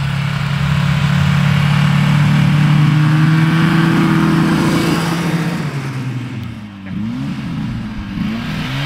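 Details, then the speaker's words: 1974 Johnson 440 snowmobile: engine labors at a steady strained drone, pitch wavering and sagging under heavy drag; high-friction stiff track and running gear waste horsepower, friction smell noted. "that is a high friction machine there's a lot of wasted horsepower there to make just to make it drag itself around I can smell a lot of friction"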